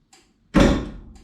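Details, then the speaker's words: Trunk (boot) release actuator on a 1951 Chevy Fleetline, wired with a no-name central locking kit: press and hold gives a quiet click, then a sharp solid clunk with a short rattle as the latch pops, working properly. "Press and hold. You hear that? That was the boot. And again."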